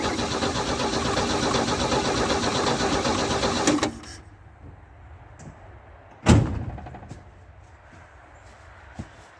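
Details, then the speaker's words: About four seconds of uneven cranking with no firing. The plugs look dry, so spark is present but fuel isn't getting through. Cranking no-start from fuel starvation. "They look pretty dry, almost like our fuel's not getting quite where it needs to be."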